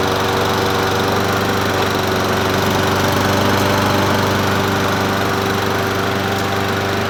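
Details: Troy-Bilt self-propelled mower with Honda GCV160 single-cylinder engine, free find; holds a steady, even speed with a constant buzz, no misses or surging, running healthy.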